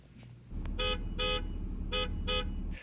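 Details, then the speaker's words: 2023 Honda CR-V after fitting an aftermarket Wolo low-tone horn, recorded from inside another vehicle: four short blasts of a deep two-note horn stand out clearly over idling traffic; the horn sounds full and healthy. "So I also made a recording from within another vehicle so that you could hear how the CR-V horn sounds before and after this modification. So here it is before, and here it is after."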